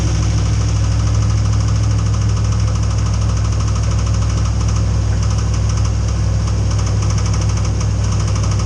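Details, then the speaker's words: Truck not started in about a year, cold start: steady low idle rumble with uneven tapping knock about three per second at startup, which then fades away. "But anyway, you guys heard how it started knocking in the beginning."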